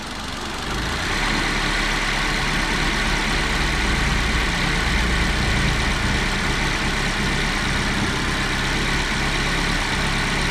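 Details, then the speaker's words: Honda i10 four-cylinder petrol engine running: uneven, lumpy beat with vibration, skipping now and then as one cylinder misfires. "इस बीच में ऐसा feel होता है यह के बीच अचानक साझा ले रही है कोई भी एक सिलेंडर है वह मीटिंग कर है तो इसको बोलते हम लोग मीटिंग है"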